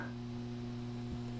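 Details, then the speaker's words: LM4610-based stereo preamp board with tone control on the bench, feeding a small power amplifier to speakers: steady low mains-pitch buzz with faint ticks, AC power supply hum getting through to the output. "the one thing I notice I can hear some AC noise power supply hum I guess you would say getting through"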